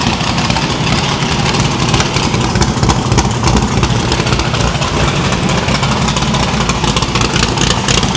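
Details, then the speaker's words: No-prep drag-racing stick-shift V8 after new PAC valve spring install: previously run on four plugs, now all eight plug wires on, headers still cold on one side. Strong, even exhaust beat with no skips. Valve springs seem okay; distributor index/rotor button fix expected to cure the misfire. "well after firing it up on four spark plugs it did in fact sound much better on eight so I think the valve springs is okay"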